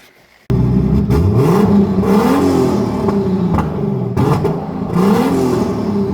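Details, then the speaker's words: BMW E81 drift car with M50-based engine on fresh fuel, untuned base map, being warmed up: catches cleanly after a brief crank, revs rise and fall smoothly with an even exhaust note; normal running. "Ja voi että se kuulostaa hyvältä. Vaikka eiku ei o säädetty yhtään, vaan mennään vielä ihan basemapilla vastaan."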